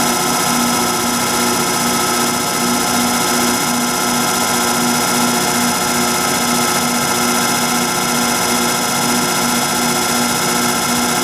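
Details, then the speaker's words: Rotary phase converter (240 V three-phase) with bad bearings starting to run an antique Allis-Chalmers 10 HP electric motor after shaft repair: steady electric hum with a rough, hissy whir from the worn converter bearings. "And the converter is my really sick one that I've been talking about, how sad it is with the bad bearings. So you're gonna have to hear that noise."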